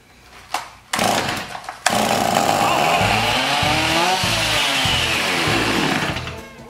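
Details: Garbage-picked chainsaw with new plug and air filter, primed with a squirt of two-cycle mix: fires, revs up and down about four seconds, then fades out; runs only on prime, carburetor diaphragm gone hard.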